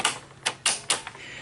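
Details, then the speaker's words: Sony SL-HF900 Betamax VCR that plays then stops: four sharp, dry clicks within about a second as the bottom solenoid and the upper solenoid pull in on a quiet bench; normal engagement. "we you heard the solenoid there the solenoid on the bottom kicks in and then there's this solenoid here that kicks in"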